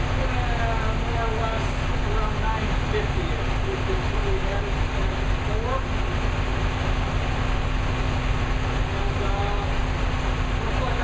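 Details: New V8 with a Lunati 60140 solid cam, warm, after hot valve lash adjustment from about .010 to .014 intake/exhaust: steady, even idle with no misses, surges or loud top-end clatter. Engine sounds healthy.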